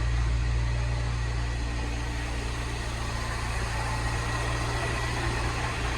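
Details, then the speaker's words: Salvage-rebuilt Mini Cooper S, 62,935 miles, after new auxiliary belt and used turbo water pump, intercooler not yet fitted, engine management light on: steady even idle, smooth low hum, no knocking, ticking or stumbling; running really well. "It's running really well. Wicked. Yep. So that's turned out really well, guys, look."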